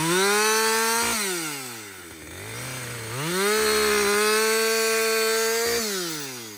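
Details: Husqvarna 562XP chainsaw back from the shop after a software reflash for dying when hot and not starting; high revs bog into the cut, then climb back cleanly without stalling. It runs strong under load through its first full tank.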